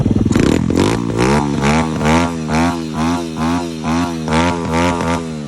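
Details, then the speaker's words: Single-cylinder dirt bike with a freshly tuned 26 mm racing carburetor and racing CDI, free-revving in blips about twice a second. It rises cleanly and drops back with crisp pickup, no bog or stumble. "So as you can hear, guys, right there, racing carb, no bog, no anything. The bike is really good."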